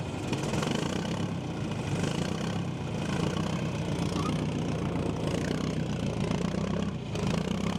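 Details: John Deere 310A backhoe diesel, first start after fuel system and fuel pump repair, idling to bleed air and charge the battery: a steady, low rumble, even and unbroken with no stumbling.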